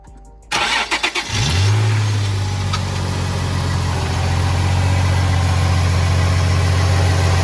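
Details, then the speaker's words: Nissan 350Z with VQ35HR engine after serpentine belt replacement: cranks briefly, catches and settles into a steady, smooth, quiet idle with no belt squeal or chirp, much quieter than before; normal. "so you guys hear that how nice and quiet it is compared to before what a beauty this is"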